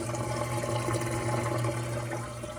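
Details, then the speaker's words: About 15-year-old Whirlpool Duet WFW9450WW00 washer on a cold quick wash, after fixing the F15 door-lock error; inexpensive replacement drain pump fitted over a year ago: steady, even low hum under gurgling water, no rattle or grind; normal drain pump operation. "So, you hear this pump on the bottom. It works perfect. I haven't had issue with the pump."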